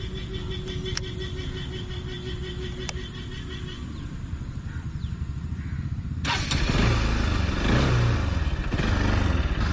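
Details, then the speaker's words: Bajaj project bike with carburetor just acquired, idle then throttle blip: lumpy, uneven idle thumps about four per second; carburetor out of tune after a local workshop replaced the accelerator cable and mis-set it. "കാർബറേറ്ററിന് ശരിക്കും പറഞ്ഞു കഴിഞ്ഞാൽ ചെറിയൊരു tuning issue ഉണ്ട്. ഇത് actually വന്ന വഴിക്ക് സംഭവിച്ചൊരു കേസാണ്."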